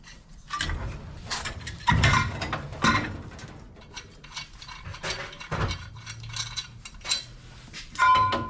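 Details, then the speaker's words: Dodge Super Bee beater-racecar project, differential (pumpkin) removed and turned by hand: rough uneven clunks, rattles and metallic clinks with no smooth mesh. The differential gears are worn out and all junk. "yeah that's the sounds of garbage right there"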